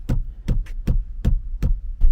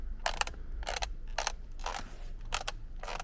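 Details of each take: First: Kia K9 after a 14-15 hour interior rattle repair: a rear (second-row) seat is struck, giving only dull, solid thumps with no buzzing or rattling afterwards. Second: Kia K9 interior trim: six dry plastic creaks about every half second as a loose piece is flexed during disassembly; owner reports noises when braking, cornering or over speed bumps; work covers center monitor, gearbox area and rear seats.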